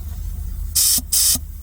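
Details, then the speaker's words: Air horn system at about 55 PSI with the inline valve fitted: two short, thin hissing air blasts without force; the valve restricts flow, with strong pressure once it is disconnected, confirming the valve as the cause. "If I loosen this now, you'll you'll hear the difference straight away. [Music] So, it's definitely that valve."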